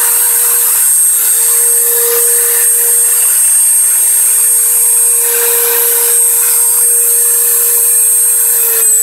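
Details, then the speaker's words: Dremel 3000 rotary tool, five days old, at maximum speed: steady piercing whistle over high motor whine, absent for the first two days after purchase; high-pitched whistle at high speed. "тоже уже был слышен такой пронзительный свист которого изначально не было изначально это в первые два дня после покупки"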